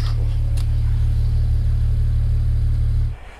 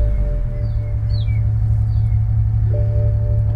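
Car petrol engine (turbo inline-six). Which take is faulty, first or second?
second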